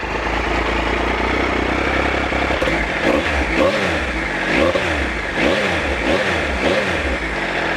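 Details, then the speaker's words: Adventure bike triple revved cold after standing a while, before warm-up; raspy three-cylinder bark rising and falling through quick blips, clean and even, no knocks or rattles; healthy engine, owner's quietest bike. "I love that triple sound. It's really raspy, really nice."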